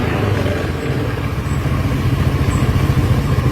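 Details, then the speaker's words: Honda Beat/Scoopy/Vario scooter at idle: an even, low putter carries on uninterrupted despite the brake being held; the idle stop system (ISS) fails to shut the engine off. "Nah, sudah tidak bekerja. Jadi ISS-nya sudah tidak mau lagi. Padahal ini sudah saya rem ya, seperti tadi."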